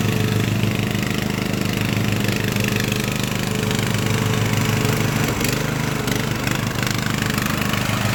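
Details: Craftsman LT1000 riding mower with swapped-in Briggs & Stratton engine, warmed up after a week unused, test-mowing tall grass with unsharpened blades: steady, even drone sags briefly as blades bite, then recovers; healthy engine pulling its load.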